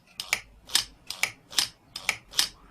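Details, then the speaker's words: Throttle body from a 1996 Mercedes C220, part 00141 9225, bench-tested after rewiring damaged wires: idle motor powered with 5 volts gives crisp even whirring clicks, about three a second; idle correction motor works fine. "I give power motor works so idle does work okay idle correction should be fine the motor works fine"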